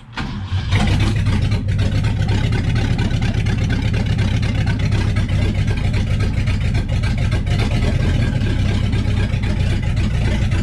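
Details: Freshened-up 1966 Ford Galaxie 390 FE V8 started for the first time, distributor just moved and not fully dialed in: deep, steady rumble firing evenly with no knocks or misses; normal healthy idle.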